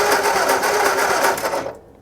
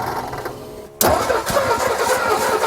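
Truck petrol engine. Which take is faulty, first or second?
first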